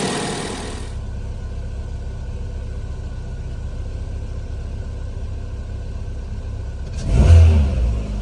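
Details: 2018 Chevy Sonic 1.8L after replacing the plastic cam cover to fix a PCV/vacuum leak that caused a rough, stumbling idle: steady, even low engine hum with a clean brief rev near the end, no hiss or stumble; normal running.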